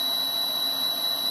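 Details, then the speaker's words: LG three-phase BLDC direct-drive washing machine motor on a TECO-Westinghouse L510 VFD at 338 Hz: steady piercing high whistle near 4 kHz over faint hiss, almost no low rumble; motor behaves like a stepper. "because this is really this is really a stepper motor it's three phase but it's it's a stepper motor all day long and you can hear it whistling right now"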